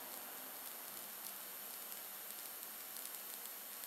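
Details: Homemade high-voltage capacitor under breakdown test with a homemade supply at about 15,000-20,000 volts: continuous fine high hiss peppered with tiny crackles, no hum underneath; corona discharge leaking off sharp edges into the air.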